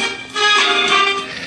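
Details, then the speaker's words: Solid-state vintage Magnavox console record player, volume wide open: music thin and tinny with no bass output; a bad cartridge ground was suspected. "So the bass is doing absolutely nothing. I know it's sometimes the cameras don't pick up changes in bass, but it's not doing anything."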